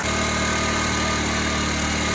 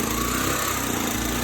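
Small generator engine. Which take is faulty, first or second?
second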